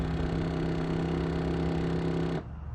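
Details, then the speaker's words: High-mileage C5 Corvette pop-up headlight motor after switching to bright mode, with HID headlights fitted: steady electric hum with low buzz runs on over two seconds then cuts off abruptly; motor slow to stop, cause unknown. "motor takes a while for it to stop but if I don't let it finish that sound my HIDs it's not doing it now obviously because I did it right"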